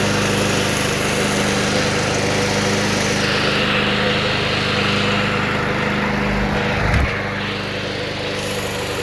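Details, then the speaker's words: Vintage, believed late-1980s, Toro GTS 5hp 3-speed self-propelled mower (model 20622), apparently Suzuki engine, found in shed, with blade clutch: steady, even drone, tone shifts slightly near end; runs smooth and healthy. "anyway the idea has this clutch driven blade accessory but it runs completely unattended without having to hold anything down"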